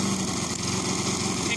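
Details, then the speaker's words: Tecumseh lawnmower engine at normal idle after winter maintenance, sounding a lot better than before: a light, fast, even buzz, steady with no surging or misfiring, ticking over healthily. "I'm just gonna see what the tecumseh is at. As you can hear, it's sounding a lot better."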